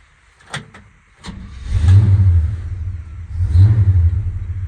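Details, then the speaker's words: Classic vehicle with a small block Chevy V8 and headers, as received before the planned LS3 swap. Engine catches after a brief crank, then two clean throttle blips with a deep, even exhaust note; doesn't sound too bad. "Don't sound too bad."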